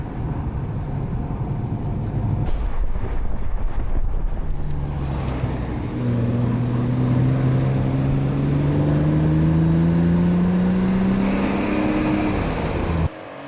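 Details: BMW 320i E36 with M50B20 inline-six, stock apart from a new intake filter, ex-automatic now manual: smooth, even note climbing steadily in pitch as revs rise, no knocks or misses; healthy engine pulling cleanly.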